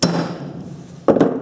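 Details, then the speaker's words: Hub bearing race driven in with a piece of pipe rather than a punch during llama-trailer drum brake rebuild: sharp hammer strikes, then blows ring with a firmer, solid note as the race seats fully in the hub. "You'll hear the sound change when it's all the way down."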